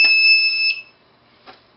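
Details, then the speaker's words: Transistor-driven DC buzzer on electronics learning board, relay jumper removed: clean shrill beep under a second, then quiet until it sounds again; buzzer working normally, beep length set by pulse on transistor base via potentiometer. "So, now I've dis I've disabled the relay and I've basically applied the buzzer. I can make that long that buzz longer if I'd like by putting a longer pulse on the on the transistor base."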